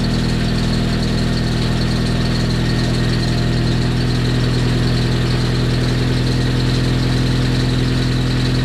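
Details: Freshly rebuilt Nissan KA24DET on first start, cold evening: even, steady idle with a smooth low beat, no knocks, misses or ticking; the engine is running healthy.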